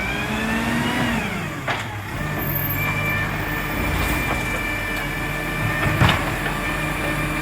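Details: Marion garbage truck SL01300 diesel after exhaust leak repair: steady drone with brief hiss burst near six seconds, no puffing or ticking at the manifold; runs clean and sealed, normal.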